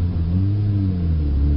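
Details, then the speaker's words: Manual-transmission car driven with the clutch held half in while giving gas, revs staying at the same RPM: low steady engine drone with a slight swell but no matching pull; clutch being slipped and burned. "So this is burning your clutch, alright? This is me burning my clutch. See how it's just staying at the same RPM?"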